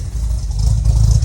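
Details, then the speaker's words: Ford TE Cortina with new carburettor, tightened fan belt and new exhaust: short, slightly lumpy rev with deep exhaust throb rising evenly, no knock or rattle; sounds like a mild cam, probably just cold; healthy. "Almost sounds like it's got a bit of a cam in it, but it's probably just cold."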